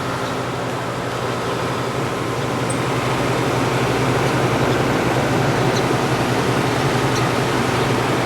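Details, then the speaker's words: 1967 Chrysler Airtemp 6000 BTU window AC, model L06-72, compressor running: even airy rush over steady hum; fan slightly off balance as expected, condensation on return line, normal running. "Fan's a little off balance there, but that's kind of expected."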